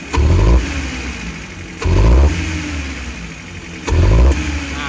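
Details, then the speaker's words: Futura 1.5 (1500), previously worked on elsewhere, stumbles only on throttle and doesn't vibrate: three sharp blips, revs rising roughly then sagging to a lumpy idle; misfire suspected, spark plugs and throttle body checked next. "sebenarnya mobilnya ndak getar ya Bu ya cuma sinyal saat di gas"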